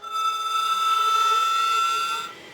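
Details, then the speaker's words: HPEVS AC-50 electric motor on a 144V controller set back to motor type 24 (Solectra AC24, its original configuration): steady high-pitched whine above motor noise, holding one tone then stopping; whine caused by controller set for the wrong motor. "And now I get the whine. So, I'm hoping that the configuration of AC 24 when I put the Selectra motor into it, it will not whine."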